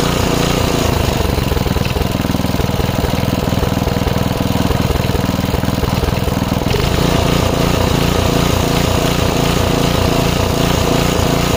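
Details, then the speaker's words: 5 HP Briggs & Stratton on an MTD rototiller after carb cleaning, started without prime: speed hunts up and down about twice a second, never settling, likely a fuel-starved carburetor. Almost idles well off throttle. "But um yeah, it runs, but it's surging. It almost idles pretty good when I got off the throttle."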